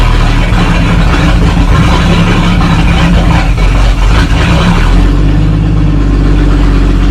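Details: 1937 Talbot saloon with a 3.2-litre six-cylinder petrol engine, laid up since the mid-1970s, running with its fuel system temporarily bypassed. There is a steady, even, low rumble holding its beat without stumbling. It is idling cleanly.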